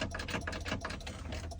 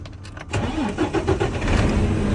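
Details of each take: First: Freightliner M2 manual-transmission truck won't crank after being shut off: with the clutch pedal pressed, only rapid dry clicking, about seven or eight a second, and no cranking; faulty clutch pedal switch. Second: Freightliner M2 diesel with no-crank fault, clutch pedal switch bypassed by bridging its two wires: short crank, then catches and settles into steady even idle; normal crank and start.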